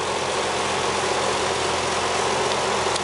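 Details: Nissan 300ZX Z32 twin turbo after temporarily sealing vacuum leaks around the throttle bodies with sticky tack: steady, even idle with a low hum, no whistle or hiss; the loud whistle is gone and vacuum increased.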